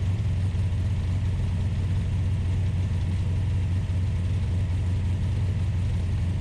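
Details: Ultima GTR with American V8, warmed to operating temperature (temperature gauge not reading properly, fans pulling hot air): steady, even deep drone sitting noticeably above normal warm idle speed; idling high.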